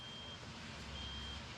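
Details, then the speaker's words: Hydmech bandsaw: two thin, high-pitched beeps over low shop hum when pressing machine start, screen dark; board suspected shorted by hydraulic fluid. "So if we were to find out, you just push machine start and it'll start beeping at"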